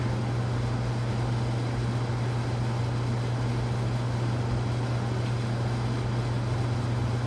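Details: White Casablanca Panama ceiling fan (K55-style motor) after bearing replacement and new flywheel, previously noisy bearings, running low speed in downdraft: smooth steady low hum, no scraping or ticking; motor and bearings quiet and healthy.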